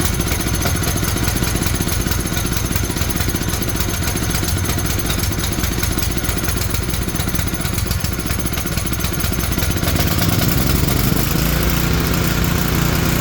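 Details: Tecumseh generator bought as non-running, running with the brown low-oil sensor wire disconnected; oil was later found low. Single-cylinder engine chatters along at a steady pace without stalling or surging; running normally.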